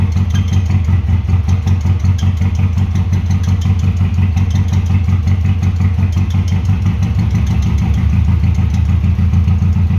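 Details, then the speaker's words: 1996 Subaru WRX after 7 years sitting outside (tank rusted, no oil, rusty coolant); fresh oil, oil and fuel filters, original plugs. Low, lumpy, uneven idle after coaxing onto four cylinders; injectors likely need cleaning. Rough running after long storage. "okay well the answer to the question does it run well yes it does and after a bit of coaxing got it to run on four cylinders which is quite surprising actually"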